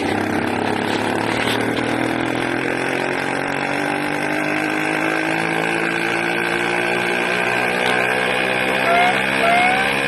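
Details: 80cc small two-stroke engine screaming loud with an uneven, hunting note wandering in pitch; owner suspects a carburetor problem with a leak at the intake manifold, not confirmed.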